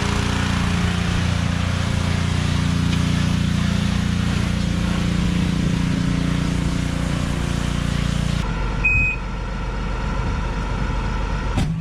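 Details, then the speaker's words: Outboard on 1998 Wellcraft 210 boat: holds fast steady high idle for eight seconds before dropping; revving high because the throttle cable is broken. "Oh, you know why it's revving high? Because you said the throttle cable's broken."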